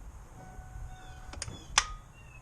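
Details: 2007 Ford Focus: a few sharp isolated clicks from the starter with no cranking or firing, a no-start; fixed by replacing the starter.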